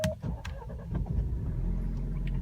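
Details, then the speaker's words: 2019 Alfa Romeo Giulia (battery in trunk), start: short, soft crank that stumbles and sputters briefly before catching, settling to low idle; weak, not robust start, cause unclear. "so I know sometimes this car doesn't sound too confident when it starts off like the starter on a cold start in the morning just kind of like kind of sputters to life"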